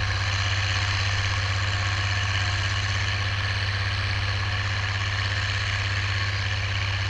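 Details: Oliver 1550 diesel tractor pulling a JD BW disk about 6–8 inches deep, running well once whatever was in the fuel system cleared: deep, even rumble with a smooth steady beat, no misses or knocks under load.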